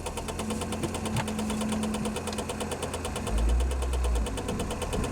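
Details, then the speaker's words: 1994 Saab 9000 idling with a fuel leak. A fast, rough rattle at about three hits a second over the idle: the heater blower fan is hitting something under the dash and can't be switched off. "Blower's hitting something under the dash. And you can't turn it off, which sucks."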